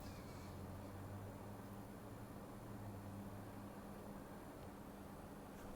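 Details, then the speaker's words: Xbox One X after teardown, GPU heatsink cleaning and new thermal paste, on for 20–30 minutes: faint, steady low fan hum with no surging or seeking up and down; normal quiet cooling fan. "absolutely the same position as before where the fan was seeking and going up and down nothing at all now"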